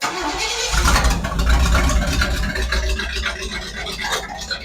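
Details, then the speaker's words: Classic Pontiac V8 just fitted with a Bluetooth-programmable Progression Ignition distributor, table set to 600 rpm idle, 16° timing: short crank, fires promptly, settles into an even, lopey idle about 600 rpm with no misses or backfire; normal start. "There it is. It's about 600 RPM. Very cool."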